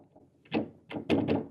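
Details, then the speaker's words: Old Bösendorfer grand piano with uneven bass dampers: three or four dull wooden thunks, a clattery knock from the damper mechanism where it should be silent. "It's a little noisy here, you can hear the noise."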